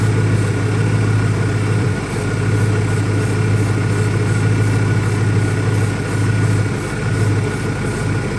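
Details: 2001 Ford Mustang Cobra V8 after new Bosch spark plugs; deep idle that won't hold steady, sagging and hunting every few seconds instead of an even beat; rough running, owner doubts a vacuum leak, cause unclear.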